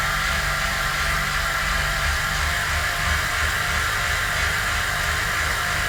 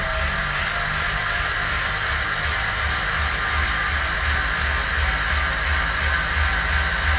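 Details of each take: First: Standard Continental 5000 road tire on a normal rim on an on-wheel trainer roller: loud, steady whirring hiss with a low uneven rumble as the tire drones and slips on the roller, before comparison with an Elite Coperton trainer tire. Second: Bicycle on a wheel-on indoor trainer with an Elite Coperton trainer-specific tire after standard Continental 5000 comparison: even steady hiss and hum, smooth rolling beat, no squeal or slipping; running normally.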